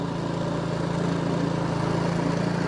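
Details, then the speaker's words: Two-stage snowblower single-cylinder engine that only ran on choke and surged, after complete disassembly and reassembly: at full run position it holds an even, steady beat with no surging, exhaust fumes cleaner; governor holding. "and it's not surging anymore. So I got to open the door, but even the fumes aren't burning my eyes like it used to."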